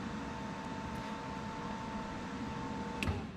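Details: New Bgears b-Blaster 80mm fan installed in an instrument panel, running with the master switch on and blowing down on the right side: faint steady tone over soft airflow, no rattle or wobble; fan runs smoothly.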